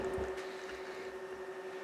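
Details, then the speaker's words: Sanyo PLC-XM100 LCD projector after power-supply capacitor repair, fan noise inside at power-on; thin steady whirr with faint rough flutter, one of six intake fans failing, lamp then shuts down with error. "I heard a weird noise down in here you guys listen I'm going to turn it on you'll hear the fan hear that and then it's going to uh shut the lamp down"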